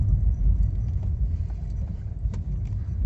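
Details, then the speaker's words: VW Voyage driver door whose lowered window glass used to knock, fixed by shimming glass with cardboard; driving over potholed road: only tyre and road rumble, dull bumps, no glass knocking. Rattle gone. "E realmente o vidro parou de bater. Maravilha. Deu certo."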